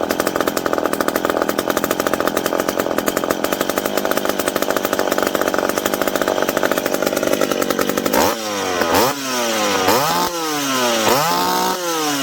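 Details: McCulloch PM700 two-stroke chainsaw, newly ported and on first run, not yet broken in. Holds a steady high scream while cutting, then blips cleanly up and down with crisp revs and no misfire. Normal running under load.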